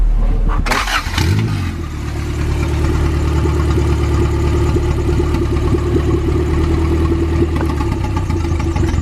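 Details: Honda Integra B20V turbo after sitting a long time: catches into a rough, lumpy run with an uneven low thump, one cylinder dropping out, smoking. Owner suspects a damaged piston, zero compression from a crack; not confirmed.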